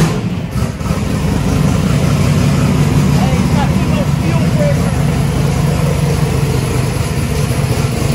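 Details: Warm V8 truck converted to methanol, restarted after idling at about 4.7 air/fuel ratio (may be leaned out): cranks right up into a deep, steady, lumpy idle that runs cleanly; a torn injector O-ring leak was later found.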